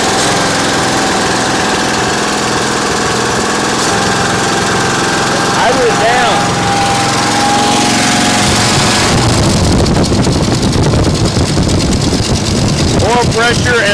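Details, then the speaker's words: 1964 Mercury Montclair V8, abandoned 28 years in Arizona, cranked with fuel pump hooked up: cranking gives way to a ragged catch and an uneven but self-sustaining run. Oil pressure builds and alternator charging. "we're building oil pressure amp gaug is up that's amazing wow what a testament to how these things were built"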